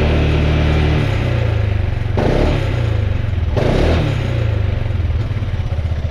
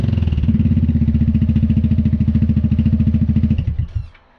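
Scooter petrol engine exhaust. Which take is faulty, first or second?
first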